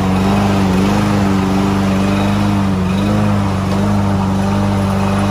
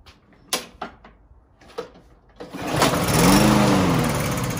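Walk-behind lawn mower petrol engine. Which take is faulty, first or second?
second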